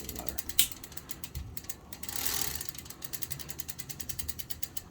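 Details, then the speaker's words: Sturmey Archer AM hub with newly fitted threaded driver, on a Standard 125R, shifted into second gear: crisp, evenly spaced ratchet clicks, several per second, steady while turning; normal freewheel pawl clicking. "second gear should be working perfectly fine and clicking."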